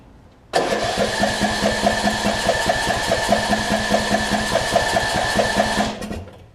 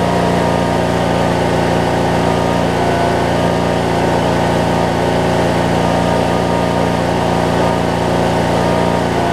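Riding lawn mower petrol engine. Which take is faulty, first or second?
first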